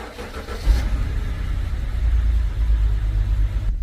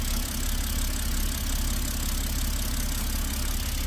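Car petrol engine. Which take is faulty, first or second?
first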